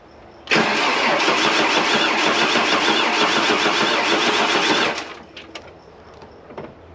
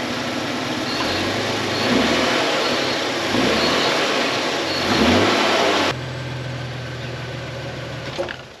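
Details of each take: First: 30-year-old Ford Falcon pulled from a paddock, first start after refilling coolant: fires into a loud, uneven, galloping, chattery run for about four seconds then shuts off; owner suspects a stuck lifter and a dead cylinder. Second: 30-year-old Ford Falcon revived after three years in a paddock. Several clean revs, then a steady, even idle with no misses or knocks. Normal running; an earlier exhaust note was only a hole in the muffler.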